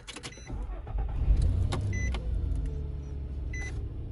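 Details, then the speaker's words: 2005 Nissan Pathfinder heater/AC blower after replacing the burnt-out blower motor resistor: a low, even whoosh holding steady on the lowest setting, no squeal or ticking; blower working normally, problem cured. "All right, so we got it on 1, and right away you can hear the blower going. 2, 3, and on 4 we're at full blast."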